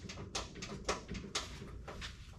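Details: 1970 Pontiac GTO, LS-swapped, jacked up at the rear: sharp irregular pops and clunks from the rear end, a few per second; owner suspects a loose shock bolt on one side, front end checked tight, cause unconfirmed.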